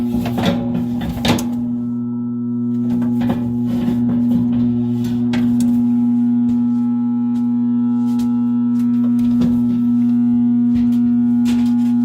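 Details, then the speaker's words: Furnace blower motor powered: loud steady hum with scraping ticks as a stick brushes the blade, motor won't spin up; stalled blower, capacitor suspected. "Okay, you hear her humming there, and I'm going to stick this stick in there, and it'll just right in that crack and just brush against that thing. No, it didn't go. Well, it's trying to go."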